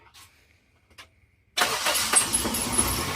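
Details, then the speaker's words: Toyota Sera (1.3/1.6 Corolla-family engine) after starter replacement, old starter's worn teeth not engaging flywheel; fires promptly, no starter grinding, settles to slightly uneven idle as ECU relearns after battery disconnect; starts healthy. "sounds great now it's kind of struggled a little bit because we unplugged the battery it needs to relearn everything"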